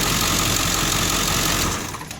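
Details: 2001 Ford F350 7.3L diesel after replacing the camshaft position sensor (F7TZ-12K073-B) for intermittent freeway stumbling; starts and holds even diesel clatter at steady idle, no stumbling or odd knocks; healthy.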